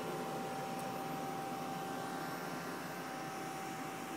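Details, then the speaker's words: Toyota Prius plug-in hybrid with A/C set to 74 degrees, heard near the front bumper: quiet, steady airy hum with a faint constant tone and no rattles or surging; heat pump compressor running normally. "oh i can hear it from here there's something running there you go right i hope you could actually feel it sucking the air in right over here oh yeah oh yeah you hear it that's the heat pump yeah"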